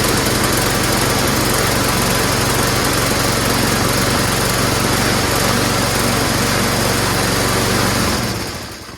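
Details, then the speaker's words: Mower whose gas cap had a hole, with rain possibly getting water into the fuel tank: the engine sputters and hunts unevenly, then dies. Water in the fuel is suspected, and the plan is to drain the tank and carburetor bowl. "it sputters like there's water in there"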